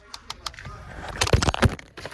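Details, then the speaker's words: 2014 VW Eos 2.0T during basic-settings calibration of the flap motors after replacing one: sharp plastic ticks, then heavy clunks and cracks as a temperature or fresh-air flap motor (V158/V425) still jams instead of sweeping smoothly; another motor is faulty. "Sounds like it's still jamming. It's supposed to have a smooth transition in there."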